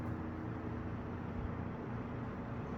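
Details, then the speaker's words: Eskimo box fan model 201083, cleaned and reassembled, started on low: quiet, even low hum with faint steady harmonic whine, no rattles or ticks, still speeding up; normal running. "started on low. Really nice and quiet."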